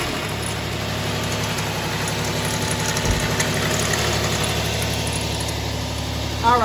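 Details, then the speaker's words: 2009 Dodge Charger SE 2.7 V6, a no-start with no codes, run with the cam sensor removed: coarse uneven rumbling with pulsing underneath. A timing issue is suspected, water drips underneath, and the cause is later traced to a failed water pump. "All right, as I expected, it sounds like a whole bunch of rumbling going on, so I'm gonna listen to that and try to identify that noise with my stethoscope."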